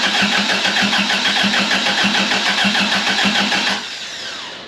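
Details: 1982 Toyota Celica Supra with swapped 3RZ-FE engine and new turbo, first crank on the key after fresh oil: even cranking at about three compression beats a second with no firing, cutting out near four seconds; dry crank, no start.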